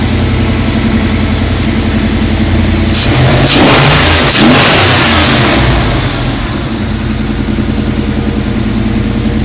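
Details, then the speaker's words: 2004 Jeep Unlimited with a 2010 5.7 VVT HEMI from a RAM, 545RFE automatic, JBA shorty headers: the V8 catches quickly into a fast, steady, even idle. This is the normal VVT cold-start high idle, lasting about 30 s before the computer lowers it. "One thing about the VVT motors that you'll notice, if you can hear on the sound, is that VVT motors have a high idle for the first 30 seconds or so. Once it gets 30 seconds, the Hemi computer brings it back down to your standard idle."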